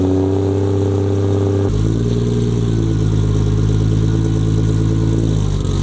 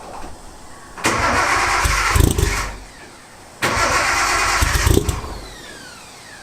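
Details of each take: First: Nissan 240SX S14 with RB25, car still jacked up, after fitting a forklift starter to cure starting problems: the starter sounds odd, but the engine catches in under two seconds and settles to a deep, steady idle. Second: Nissan 240SX S14 with RB25 and starting issues, fitted with a forklift starter: three heavy, deep cranking bursts, last catching into rough idle, sounds like a truck; loud but working oversized starter.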